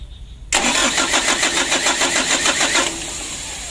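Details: Mitsubishi Canter diesel truck, roadside: starter churns steadily about three and a half turns a second with no firing; worn injection pump plunger starving fuel; ignition switch also suspected faulty.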